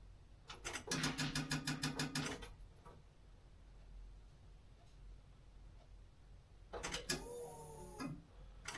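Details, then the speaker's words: 1982 VW Westfalia with a Subaru engine swap, at key-on with the pump drawing about 4.2 amps: a quick buzzing whir with rapid even pulsing for about two seconds, then it stops; the fuel pump primes normally. "Tell me if you hear the fuel pump. Okay, turning on key now. Oh, I heard the fuel pump."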